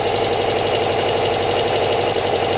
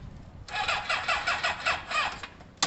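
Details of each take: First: Kawasaki ZL600 four-cylinder motorcycle with new coils, tuned carbs and valves done, firing order just corrected; not even warm, coolant hoses unattached, busy even idle with steady pulse and no missing beats: normal cold idle. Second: Kawasaki ZL600 motorcycle with new coils, tuned carbs and valves done, plug leads being tried as one-three and two-four: steady starter cranking at about three even compression beats a second, never catching; no start from leads in the wrong firing order.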